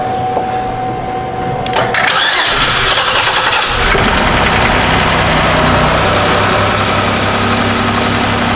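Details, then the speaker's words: 2005 Chevy Equinox 3.4L with a no-start, the main relay not powering the injectors, and the injector power feed jumpered: it cranks briefly, catches about two seconds in, and settles into a steady, even idle with no misses. "can you see if this thing runs with my full jumpered in here it should if it starts just shut it right back off"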